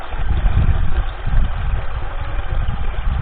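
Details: Pump running during a flow test on a newly hydro-drilled 14 m well in a finished caisson: deep, steady churning rumble with water rushing and no knock or squeal. Healthy running, about 10 litres in 18 seconds.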